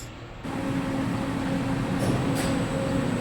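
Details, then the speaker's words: Elevator machine starting with a steady hum and brief scraping bursts from the brake; brake noise on start, fixed by cleaning the brake with emery paper. "how to identify elevator brake noise and rectification so when the elevator is started you'll hear the"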